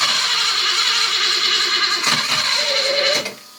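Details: 1980 BMW E12 528i after injector cleaning and intake manifold work: steady high whir of cranking with the fuel pump running, engine not catching, then pump cut off; no-start from low fuel pressure.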